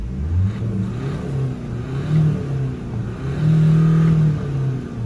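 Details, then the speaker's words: Renault Scenic 3 1.5 dCi 110bhp Euro 5 diesel after injector replacement and coding with a borrowed tool, heard from outside; engine revs up and settles several times, deep and even, no knocking; it still knocked when cold until the injector was coded; normal running. "it sounds more like it should as you can probably hear more from the outside it's not knocking"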